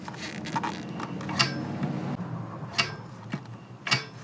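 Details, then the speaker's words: Zenith Stromberg 175CD 2SE carburettor on a 1969 Volvo 164, reassembled after needle adjustment, piston lifted by finger and dropped: three clean metallic clicks about a second apart. The piston falls freely to the bottom with a dull thud, a normal drop. "This is the sound that you want to hear when you finish everything. That nice dull thud of the piston dropping back to the bottom."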